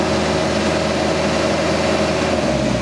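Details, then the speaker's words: Cat E Series mini excavator with auto idle on (default): steady diesel drone drops to low idle after about three seconds without touching the controls, returning to set speed when joysticks move; normal auto idle saving fuel and noise. "when you don't touch the controls for about three seconds after about three seconds it'll automatically go to low idle"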